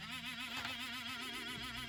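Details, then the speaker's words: HP 15 laptop (model given as 15-CW1500SA/CW5000SA) running: high airy whir with wavering pulsing buzz as the cooling fan kicks on and off; noise confirmed from the fan, which is worn or dirty and was replaced. "okay so I'm confirming that it is the fan my watch there you go quiet and then it'll kick on again in a minute"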